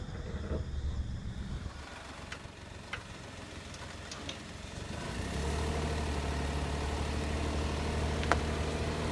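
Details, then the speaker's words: Daihatsu Tanto L375S after applying Moly Joint Grease to outer drive shaft CV joints for clunking/rattling: pulling away and cruising with even engine hum rising with speed, no clicking or knocking; noise gone. "The strange noise has disappeared! I didn't test drive it yesterday because it was late, but when I used the Tanto on my way to work today, there were no strange noises at all."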